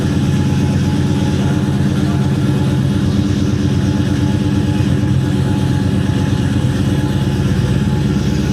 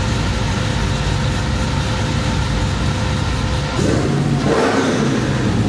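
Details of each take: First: 1972 Chevrolet Chevelle, LS-swapped V8 with Whipple supercharger, on dyno with previous shop's base tune: revving with uneven stumbling pulse that won't pick up cleanly; lean misfire on acceleration from not enough fuel, snappy once retuned. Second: 1972 Chevelle with LS swap and Whipple supercharger, after tuning fixed an earlier misfire: deep V8 rumble revs sharply and drops back cleanly with no stumble or popping; clean, snappy free revving.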